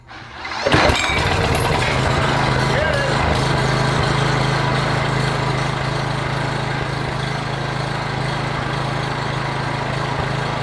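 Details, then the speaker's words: PowerBoss 5500 W generator, Briggs & Stratton 9.5 hp OHV, rebuilt from parts, carburetor primed, plug cleaned and gapped 0.030 in: catches after brief crank, steady even low run, no misses or knocks; running normally until fuel runs out. "okay she's running good she's running out of gas so i shut it off"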